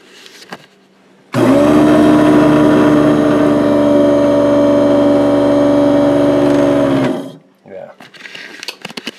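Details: Old rusty garbage disposal, smoking and smelling hot/burnt: loud motor hum with harsh uneven growl, sounds strained and rough; owner suspects bad bearings or burnt-out motor; rough running with hot burning smell.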